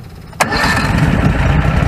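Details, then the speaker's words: Predator 670 after adjusting the stock carburetor (brass caps removed). Previously it needed half choke to start. Now a quick crank catches at once without choke and settles into a lumpy but steady low idle without throttling. A big improvement, starting normally. "so it's never idled like that without throttling it that's a big improvement right there they can start it without the choke on"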